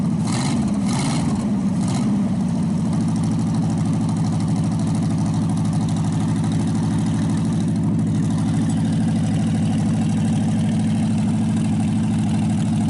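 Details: Packard 374 cu in V8 after brief blip, holding a smooth deep idle following crankcase drain and carburetor cleaning, fed from a small overhead tank: quit skipping, all 8 cylinders firing; oil in intake still causing smoke. Normal idle.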